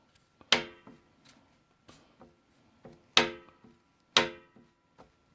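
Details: Ski-Doo MXZ 600 snowmobile engine: sharp, uneven knocks about once a second, a hard mechanical rap from piston slap due to excessive piston clearance.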